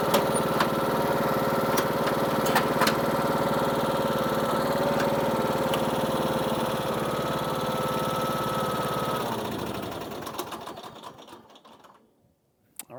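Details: Husqvarna YTH21K46 riding mower after deck belt replacement: runs steady even beat with blades spinning smoothly, no belt slipping or squeal, winds down cleanly at shutdown; new belt felt slightly loose.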